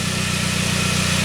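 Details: 1999 Saab 9-3 with a crank-no-start; the scope now shows a healthy crank sensor signal. Even, steady idle pulse with no stumbles, misses or knocks; the engine is running smoothly.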